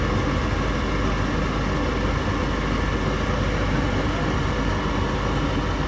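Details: Goodman furnace that whistled because of high gas valve pressure, after the technician adjusted the pressure: steady, even rumble of burner and blower with no surging or sharp whistle; a little sound remains but acceptable: normal furnace operation.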